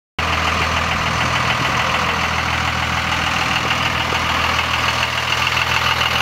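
Diesel idling steadily with a loose, uneven rapid ticking riding on top, roughly two per second; unusual noise, source not pinned down.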